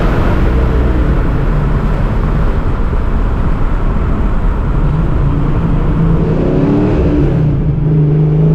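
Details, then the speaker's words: 1987 Saleen Mustang Fox body, replacement 347 V8 with smaller cam after the old motor had balance problems; test drive, runs great. Steady, even low rumble, no knocks or misses, settled idle: normal idle; only issue is idle air control not catching when clutching to slow down. "This thing runs really good. Said the other motor definitely had problems. This one's running great."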